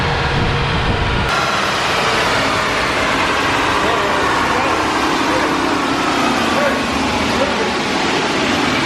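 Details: Acura RSX turbo on the dyno during boost-problem tuning, after raising wastegate duty: loud full-throttle roar abruptly loses its low drone and turns thin and hissy; turbocharger failed, likely why it couldn't make more boost.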